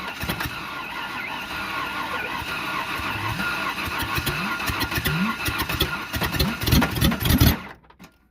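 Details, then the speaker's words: Ford Ranger 3.0 engine deliberately hydrolocked with nitrous and water in the intake: starter labours unevenly in slow lurching bursts, catching on tight spots; internal damage, suspected connecting rod. "you can hear it's getting a little tight yeah it's got some tight spots [Music] oh it's got some tight spots but it's not done yet"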